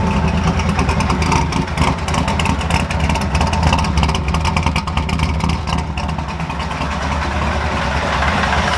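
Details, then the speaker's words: Ford F100 V8 with new engine, first cold start after repairs: deep idle rumble with light hollow knock of mild piston slap when cold, plus loud fuel pump; otherwise runs fine. "you'll hear piston slapping a little bit. Happens when it's cold."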